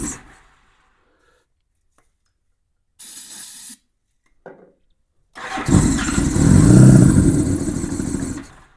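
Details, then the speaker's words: 1987 Honda GL1200 Goldwing, cold, cold weather, first start attempt in many years after new 24Ah battery and fuel pump revival; choke lever not working. Starter churns steadily about three and a half turns a second, engine never catches: cranks but won't start. "I see I don't have a choke cuz the choke lever is not working. If I did, it would probably make a big difference, but bike's cold and it's cold out here."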